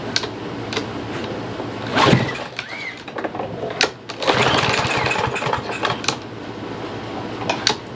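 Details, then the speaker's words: Troy-Bilt TB110 push mower, 140cc engine, buried in leaves about a year: catches on sprayed starting fluid amid hiss and handling, chatters briefly, then dies; has spark, so carburetor is not delivering fuel. "Alright, so we know that it's got spark, and we know that it will actually start. So guys, you know what that's going to leave us to be doing, and pretty much we need to figure out how to get to that carburetor."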